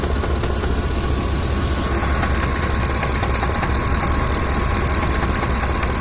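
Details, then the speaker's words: Ford F-150 hot engine, noise from top of engine; light fairly quick tapping two or three per second over the idle rumble; top-end knock, owner wonders about a camshaft problem, unconfirmed. "you can even hear it from here it's making a lot of noise"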